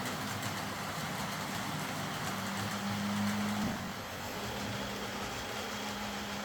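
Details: Old Hornby R751 Class 37 model locomotive after repair, wheels cleaned of corrosion with a rotary tool and brass brush, body refitted, on track: smooth, even motor hum, steady low whir and wheel rumble, no catching or surging; normal running.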